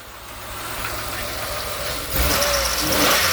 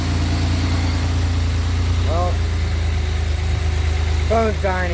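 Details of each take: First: 2000 Pontiac Grand Am 3.4L after ICM and ignition wire plug replacement: fires right up and idles, then revs, with an irregular ticking knock still riding over it. It runs a little better; a check engine light is on, owner suspects the crank sensor. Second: 2007 Pontiac Grand Prix GT just after an oil change with Mobil 1 and a new oil filter: fires right up into a smooth, steady low idle with an even hum and no knocks or misses; running cleanly.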